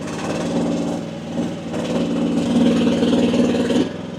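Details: AGT WH12R 1-ton Chinese mini excavator digging with relief pressure at about 2300 PSI: diesel pulls steadily with firm, even beat, no bogging or stalling; owner feels this setting is optimal.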